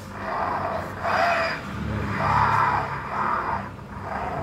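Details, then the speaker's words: Yamaha NMAX (old model) on center stand, rear wheel turned: rough, gritty whirring in bursts appears once the fixed pulley assembly (containing needle and ball bearings) is added, smooth with clutch carrier removed; worn driven pulley bearing. "teman-teman, suaranya kasar ketika kita ada tambahkan komponen dari puli fixed."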